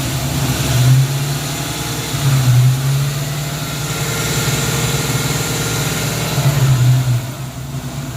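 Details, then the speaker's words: 1994 Ford Mustang GT convertible, timing set at 10°; idles high around 1,800 rpm, swelling up and down every couple of seconds untouched: idle surging, owner suspects vacuum leak, not found. "It is now reliably starting and idling, but it's idling insanely high. It feels like we have a vacuum leak, but we can't find it."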